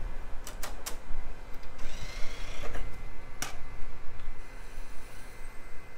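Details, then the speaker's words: Early-2000s PC CD burner failing to read a CD-R: steady spin with repeated sharp ticking seeks and clicks, never settling; suspected to need a laser voltage adjustment. "ah yet another CD burner that can't read a CDR it probably needs an adjustment to the laser voltage"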